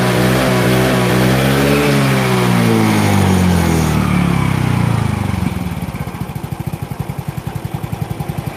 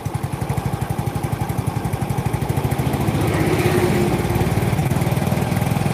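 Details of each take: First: Yamaha Mio J fuel-injected scooter after fitting an injector borrowed from another bike: revs up and down cleanly without stumbling, then settles to an even, steady idle putter; difference felt immediately, normal revving. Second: Yamaha Mio J scooter, runs fine cold but when hot: stumbles and runs uneven as throttle opens, revs climb sluggishly then sag, worse under load, fine at high rpm; scanner shows injector, ISC, TPS normal, coil and ECU swapped without change.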